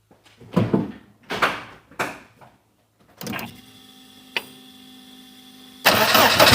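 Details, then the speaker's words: MG TF project car, microphone on a ledge by the engine: starter chugs, catches and revs roughly with hard knocking underneath; engine considered dead, teardown planned, cause not yet diagnosed. "right as you heard it's not very nice I did put my microphone just on on this little ledge here um so hopefully that's come across that you could hear it properly um yes the engine's dead basically"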